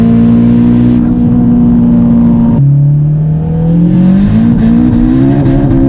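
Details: Warmed-up engine at full throttle after a spark plug change to one-step-colder BKR8EIX plugs and new coils, fixing an earlier misfire; strong rising engine note pulling hard with clean shifts and no stutter; normal acceleration under load.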